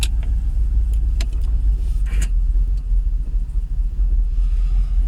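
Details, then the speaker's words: Jaguar XKR X100 V8 with rough idle and stalling, cold morning; owner doubts it fires on all 8: deep uneven idle sags in drive nearly cutting out, recovers in neutral. "I'm still revving. Going to cut out. Let's go to neutral. Revs are picking back up."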